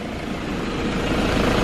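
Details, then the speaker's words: Honda K20R engine swapped into an EM1 Civic with an RBC manifold and a type R ECU, idling while bleeding the cooling system after refitting the water neck: smooth, even idle around 885 rpm with no stumble, tick or knock; no leaks. "It's not leaking. It sounds good. Idle seems pretty good. It's around like 885."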